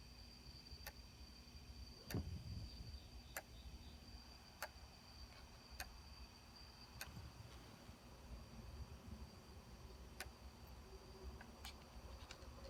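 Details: Sony D-90 Discman, just received: quiet whir with sharp clicks roughly every second and a quarter, irregular toward the end; repeating mechanical click inside the player, cause unknown.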